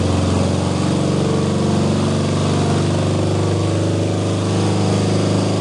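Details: BMW R90/6 boxer twin bobber, freshly rebuilt 1000cc Siebenrock kit, dual-plug heads, new bearings, first start: steady, even low thrum, no knocks or misses; healthy running, possible starter or exhaust leak noise, valve clearances to recheck.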